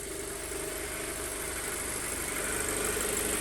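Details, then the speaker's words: 2007 Audi A4 2.0 FSI, 141K miles, run after engine rebuild: smooth idle just under 1000 rpm, slightly higher-revving than usual with a little shimmy, no misfires; ECU possibly recalibrating. "kind of a higher revving sound that i am used to you can tell there's a little bit of a shimmy but i'm not getting any misfires on the engine which is great"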